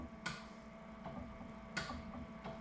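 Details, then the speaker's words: Commissioning a new inkjet printer before inking: testing the bleed valve solenoid; sharp single clicks about a second apart over a quiet room hum, the solenoid pulling in crisply and working normally. "working good now the viscometer again good and then the add make up valve and again Goods clicking from each one of those"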